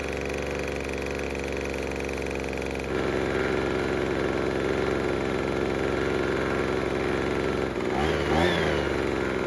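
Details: Craftsman two-stroke leaf blower after repair for a no-start. Steady, even buzz with constant pitch and no misses or surging. It is running normally and sounds healthy.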